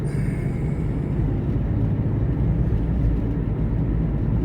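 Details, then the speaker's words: Taxi at cruising speed with a wheel bearing the driver says is getting worse and needs fixing soon. Deep, steady droning rumble under road noise, like a propeller plane in a movie; suspected failing wheel bearing. "Don't you hear that? It sounds like a sound effect for a propeller plane in a movie. Oh, that's not good."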